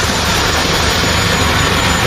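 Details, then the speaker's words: Truck engine that would not start, running again after the broken rocker arms and cups were replaced: it fires and holds a loud, steady run with no knocks or misfires. "na ganda ah ganda lang doon ayos ko andar"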